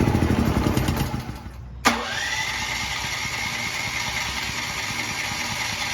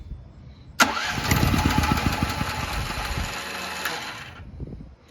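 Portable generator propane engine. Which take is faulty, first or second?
second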